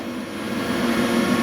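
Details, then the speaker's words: Large crop-spraying drone battery charger, after a charging error was repaired: steady whirring hum climbing slightly as the charger's cooling fan spins up for fast charging, battery rising from 63% to 64% with no error; normal fan running. "you can hear the the charger humming heavy the fun on the charger is [Music] running that's how they [Music] charge they designed to charge fast right"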